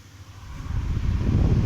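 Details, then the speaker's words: S.E.C. table fan after repair, which previously only hummed without turning: low airy hum builds steadily over two seconds as blades spin up freely, no scraping or knocking; fan runs normally. "Okay, run అవుతుంది, చూసారుగా."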